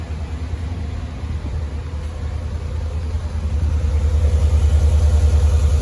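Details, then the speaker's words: 87,000-mile engine on a cold start after new spark plugs and wires, with codes cleared: quiet, steady low hum at idle with an even pulse and no stumble; smooth idle with the misfire fixed. "Sounds really good. No miss, no rough idle. Looks like we fixed our problem."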